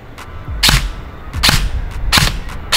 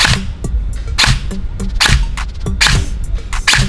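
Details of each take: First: AEG airsoft gun firing semi-auto after the motor height was adjusted against the bevel gear: crisp single shots about every 0.7 s, cycling cleanly with no drag or grind. The motor is meshing freely at medium height. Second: Airsoft AEG, semi-auto single shots: firing cycle sounds heavy and laboured instead of crisp because motor height is set too deep against the bevel gear; fix is backing the motor out until it runs without resistance.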